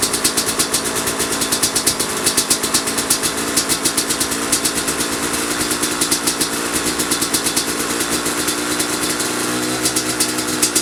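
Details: 2005 Kawasaki KX250 two-stroke, first fire-up after rebuild for low compression (piston shot, plating questionable, crank play): crisp rapid crackle idling evenly, picking up cleanly on blips with no rattle or knock; healthy.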